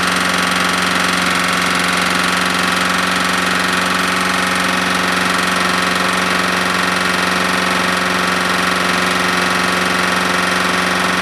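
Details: Smoking Husqvarna lawnmower single-cylinder engine burning very thin black oil, suspected past the rings; sharp regular rap, about three a second, at steady speed; owner suspects a bad connecting rod.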